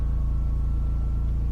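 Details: Benchmark generator steady low even thrumming while carrying a PowerMax charger on a 20 amp breaker pushing about 100 amps into a 400Ah LiFePO4 RV battery bank; no hunting or misfiring.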